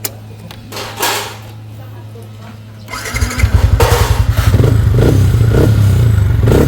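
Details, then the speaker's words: Sniper 155 at 2,568 km, first start after replacing the short, worn automatic cam chain tensioner with a manual tensioner: engine fires and settles into an even, quiet idle with no chain rattle; normal idle after repair. "Okay na tahimik na pwede na naman paingayin"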